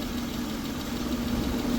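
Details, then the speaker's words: Older Honda Accord V6 with multiple misfire codes idling lumpy: coil 2 found completely dead with a spark tester; coil to be swapped with number four to tell coil, spark plug or wires. "is dead completely dead no action so I'm going to switch coil 2 with number four in the front here and then see if it's still dead"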